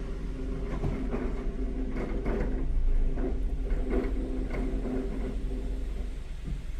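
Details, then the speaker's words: 2012 Suzuki SX4 with 103,000 miles, reversing: irregular light knocks and creaks over a low rolling rumble from the front end. Brake pads and rotors already replaced and bearing checked OK; noise persists. "a bad noise coming from the front I already changed the brakes pads rotors and I check the bearing everything is in is in a good shape but the problem the noise still persistent"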